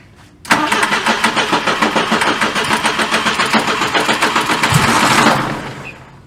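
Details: 1974 Volvo 142 with failing fuel injection system, fuel leaking: catches after a short crank, then runs with uneven loping pulse and dies after about five seconds; hard start and rough idle, injection fault suspected.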